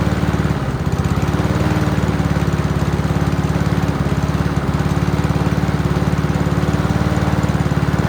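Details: Free Honda mower: even, steady single-cylinder beat at constant speed, no misses or knocks. Healthy engine, still needs minor tune-up (plug, throttle cable, fuel lines).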